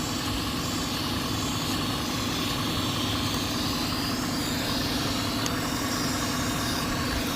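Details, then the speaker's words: 2006 Cadillac STS 4.6L V8 at idle, codes U0002, P1101, P0068, U2108, mass airflow reading low. Steady idle with a constant airy hiss at the back of the engine from a vacuum leak at a hose, possibly a moved clamp. "sounds like a leak. I wonder if I can get in there with a flashlight or something to see what's going on. I hear like a hissing noise."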